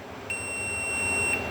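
One clean, high, steady beep lasting about a second over a quiet background, so the board's buzzer output is working.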